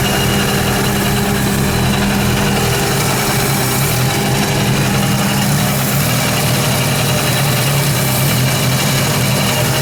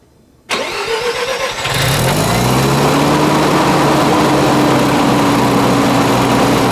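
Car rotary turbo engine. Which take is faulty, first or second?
first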